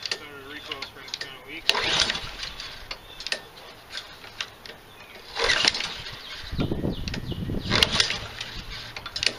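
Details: Nearly new Husqvarna 7021R mower with Honda engine, left sitting a long time, blade straightened, primed, no air filter fitted: repeated recoil pulls, each a short burst of turning over that dies away, never catching; cranking, no start.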